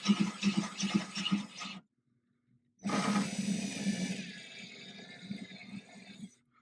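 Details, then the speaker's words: Ryobi drill with diamond bit slowly wet-drilling thin glass of a 10-gallon aquarium through a water-filled PVC guide: slow even gritty grinding with light rasp and a mid-cut pause, normal cut. "Going to grab our drill, and we are going to go slow. So slow. Get a nice guide. Keep the drill even. Let the bit do the work."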